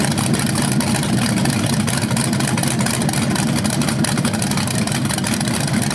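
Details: First run of a BluePrint 396 big-block crate engine on a stand outdoors for a 1970 Camaro SS, with headers, oil primed and timing checked: steady, even, lumpy idle rumble with no ticks or knocks; sounded good, no leaks.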